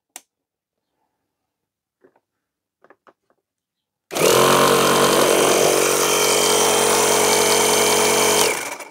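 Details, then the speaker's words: Salvaged 12 V car air compressor powered through cigarette-lighter plug transformer: a few clicks, then smooth steady running with even rapid piston chatter, blows air, light works; sounds healthy. "well the compressor works does does blow out air our light works and Flash"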